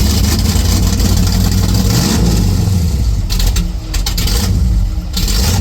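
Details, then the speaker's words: 1970 Chevrolet Chevelle station wagon, rebuilt small-block V8 after a year of prep: catches and revs with deep, even rumble, no valvetrain ticking or knocking; sounds healthy. "Wow. It's a little bit heavy. I don't like to step on. It sounds like a Chevelle."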